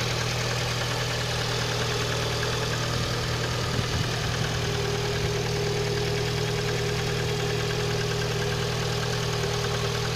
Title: стук в двигателе 11194